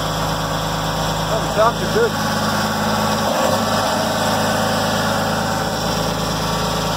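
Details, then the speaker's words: 2004 Jeep Grand Cherokee lifted 4.0 inline-six junk, first start: dense rattly clatter over lumpy idle, sounds dry and unhealthy; owner suspects no oil, though oil is present but black. Cause unclear. "good so to me sounds like it's got no oil not sound very good you don't sound too healthy boys the old indestructible 4.0"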